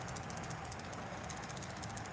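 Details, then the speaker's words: Motionette animated figure with a closed gearbox, just reassembled and screwed tight: small motor hum with light, quick, regular ticking, several clicks a second, as something catches inside the gearbox; it will be opened again to find the cause. "you hear that clicking in there that's not supposed to be there and so just for that we're gonna open her up again and we're gonna see what's making that clicking noise"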